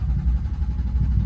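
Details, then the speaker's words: BMW F80 M3 cranked with the fuel pump disconnected and a fuel supply warning showing: short burst of low, uneven starter churning that almost catches, then stops. Cranks but does not start. "Abort it. Yeah. Good. Sounded like it was about to start."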